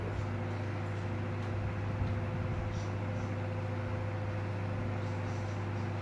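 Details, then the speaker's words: Elcon 16-inch desk fan after motor repair (7 coins removed from rusted motor): steady low hum, smooth even tone, no rattle or knocking; motor runs cleanly and faster than before. "Now that's much better. Even the speed is a lot higher than before. And you get that beautiful sound of that motor too."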